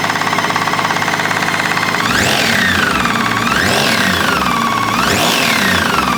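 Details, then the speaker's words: BMW K1600GT motorcycle engine; owner already replaced the overrunning (starter) clutch and clutch basket without effect, mechanic suspects a connecting rod: rapid, hard metallic knocking, roughly three a second, through the revs; internal engine knock, cause unconfirmed. "Надеюсь вы хорошо слышали стук стук явно металлический Что свидетельствует о том что внутри двигателя Есть какая-то неисправность"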